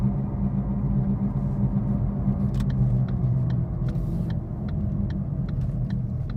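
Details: 2013 Ford Focus while driving, heard in cabin: deep steady drone under road noise; cause confirmed as bad left-front wheel bearing, replaced by dealer.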